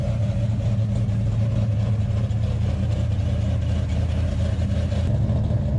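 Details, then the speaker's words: 1968 Hemi Charger V8: a deep, lumpy, steady burble at idle with a slight swell. It sounds strong and healthy with no leaks. "and again try and tell me that don't sound badass that sounds like Jack Daniels and chest fur with a cigar hanging out of your mouth"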